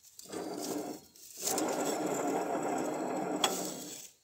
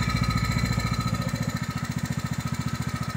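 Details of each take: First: Ride-on mower deck spindle hand-turned with belts removed: gritty, rough grinding in two bursts from worn spindle bearings "eating each other". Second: Small tractor engine with a faulty carburetor that sputters on fuel, running smooth with the fuel shut off; even, regular firing thump with no misses, but it runs terribly again once fuel is turned back on; normal running.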